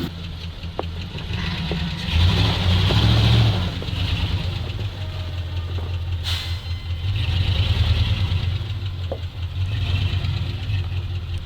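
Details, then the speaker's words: ZIL truck (ZIL-Takh) after clearing a clogged line: deep, steady low idle with a couple of gentle throttle blips, smooth and even; everything now works great, normal idle. "I can’t believe it Well, everything works great,"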